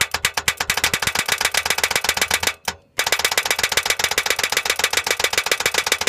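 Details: New 2015 Ram EcoDiesel with 124 miles, on a 9-degree morning: fast, sharp clicking about four times a second as power is applied to the solenoid terminal by hand, while the starter fails to engage or spin; the second time this has happened.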